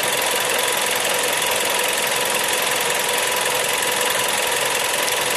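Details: Seat Leon TSI 140 engine warm at idle: busy, hissy top end with uneven tapping; noise cause unclear.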